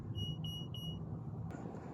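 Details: Bobcat skid steer loader that won't start, key on in the cabin: three sharp high beeps then quiet with no cranking, the fault warning as codes M1605, M142, M207, M1502, M5306 appear, including a traction lock solenoid short to battery.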